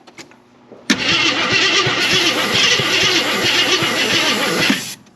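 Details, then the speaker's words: 1981 Jeep Wagoneer parked 33 years, jump-started: starter cranks about four seconds with uneven pops but never catches; crank, no start, cause unconfirmed. "Trying. Yeah, that might have been too much. It did try and pop."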